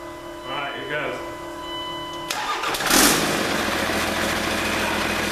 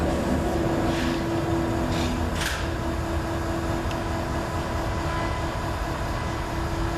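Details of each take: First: 1942 Chevy truck with a Cummins diesel: after proper power is wired to the fuel pump, a short crank and it fires right off from sitting. It settles into a loud, steady idle through the straight-up exhaust with no turbo boost; healthy start. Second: 1942 Chevy truck with a Cummins diesel: the starter cranks steadily at about 220 per minute but it never fires, with air in the fuel and no boost. Owner suspects low compression or a stuck valve after long sitting.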